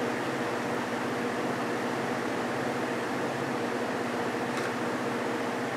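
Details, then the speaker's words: Vintage GE 3-speed window fan F11W3 after a fix with clear Gorilla Glue, on medium: smooth even air rush, faint steady motor hum, no rattle or wobble; much quieter, normal. "much quieter yeah that is a huge Improvement"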